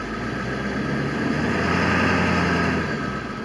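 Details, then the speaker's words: 2000 Ford F-350 with 7.3 Power Stroke diesel, after fix for start-and-die and erratic idle, not yet warm: in gear the deep note climbs smoothly and eases off, strong with no chugging; normal revving under load. "in fact the truck is actually moving um but it has none of that chug chug chug no lack of power"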